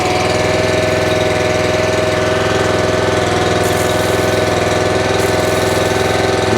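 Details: North Star 3000 psi pressure washer, Honda engine, CAT 5DX40G pump: steady low-throttle drone, smooth pump beat, no knock; running normally.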